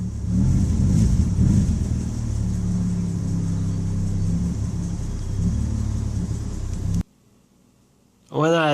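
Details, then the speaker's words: BMW 330i after days of rain, not responding to accelerator: under throttle the engine stumbles and pulses unevenly instead of pulling clean; misfire from bad spark plugs and moisture on ignition coils. "finally started taking things apart i discovered some moisture on coils and of course bad spark plugs"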